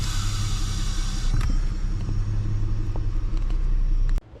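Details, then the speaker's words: 2008 Ford Edge: airy hiss over steady idle when the brake is pressed, from the back of the brake booster; ruptured diaphragm leaking vacuum, booster replaced. "When you hit the brake, you can hear a hissing sound inside here coming from the back of the brake booster right there. Means the diaphragm's ruptured inside."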